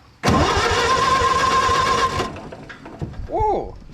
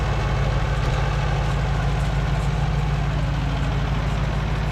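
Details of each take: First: Co-op E3 tractor (possibly 1947) after years of sitting, out of gear, power to coil: starter spins engine evenly about two seconds, oil pump pushing oil, but no cylinder fires; cranks, no start, spark at plugs not yet checked. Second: Co-op E3 tractor (about 1947) after years of sitting, later start, chains off: low rhythmic thump settling to an even idle after starting; engine runs fine, though fuel leaks.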